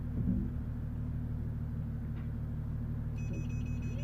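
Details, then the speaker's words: 2011 Mercedes S350 W221, engine idling, reversing toward an obstacle: rapid high-pitched beeping from the rear parking sensors, which work normally; front sensors thought not to be working. "so you might can hear the bip and you can see right there right at the back and focus so yeah so the rear ones are working"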